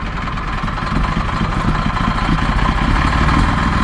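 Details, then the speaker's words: Detroit Series 60 diesel, under 10k miles, about 50–55°F, just started after long cranking and smoking from the tailpipe: an uneven, lumpy idle with stumbles and loose knocking, firing on 2–5 cylinders. Possible exhaust leak; cause not found. "It's still smoking out of the tailpipe. But running really bad. Fired up on 2 or 3 cylinders max."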